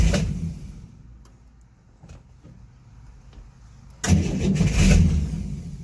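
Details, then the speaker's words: 1964 Chevrolet Corvair after cylinder head reinstall: engine died, then two short cranking bursts with a quiet gap and no firing; out of gas, carbs dry with no squirt, fixed by filling carbs and tank. "Alright. So, it's just out of gas. I looked inside the carbs here."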